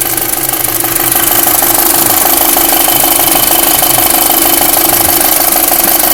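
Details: 2005 VW MK5 Golf GTI 2.0 TFSI: steady idle with fast, regular light knock over a constant whine; engine knocking noise, source unknown.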